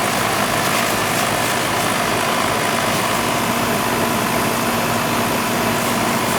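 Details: Old Goodman AC condenser running after a weak capacitor was found; the coil was cleaned previously and head pressure is a little high. Steady, even fan rush over a smooth compressor hum, no cycling or rattles; unit running normally.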